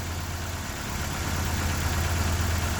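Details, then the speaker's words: 2001 Ford Escort ZX2 warming up, not yet at temperature, no smoke: low, steady idle with an even soft pulse around three per second and no knocks or misses. Normal idle. "But yeah, she runs getting warmer. She's idling well. She's not smoking yet."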